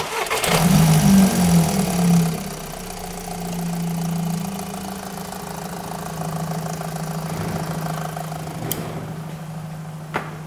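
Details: VW after fitting a new EGR valve and clearing fault memory, intake manifold suspected coked: engine cranks, catches and settles to a low steady idle with a faint unevenness; running slightly rough.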